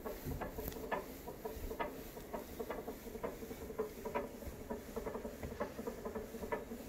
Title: Nordictrack s22i studio cycle - flywheel knocking noise (VA) - 1(4)